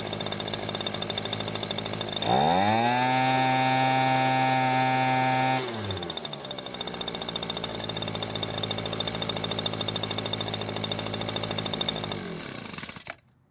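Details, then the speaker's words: Echo leaf blower that wouldn't start after storage, now running with cracked primer bulb: revs to high steady buzz then even idle; runs fine but carburetor seems to be leaking fuel. "well it seems been running just fine however it's not perfect we still need to look at the carburetor since it seems to be leaking fuel"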